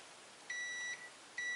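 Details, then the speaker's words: Multimeter continuity test on a power strip/surge protector during a fuse repair: two clear steady high beeps as the right pole is probed, confirming the outlet is connected and working. "direito ó beleza confirmando que tá funcional"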